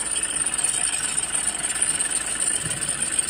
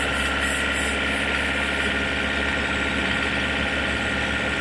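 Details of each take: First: Toyota diesel (Innova/Fortuner/Hilux type) idling with AC on, engine bay: harsh rough whirring and rattle starting a while after startup; suspected fan belt or bearing, diagnosed as failing alternator one-way clutch pulley. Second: Toyota Innova/Fortuner/Hilux diesel, engine still cold, held at 2000 rpm with AC on after the alternator pulley repair: steady, even drone with no rattle or rough chatter; the earlier rough noise is gone.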